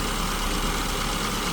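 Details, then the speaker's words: SU-carbureted car at idle after leaning mixture from too rich to peak rpm on tachometer, vacuum gauge just starting to flicker: steady, even idle with no hunting, faint whine over smooth hum; baseline mixture for this elevation. "But if I keep going, it'll get too lean. So this is basically the baseline point for this engine at my elevation."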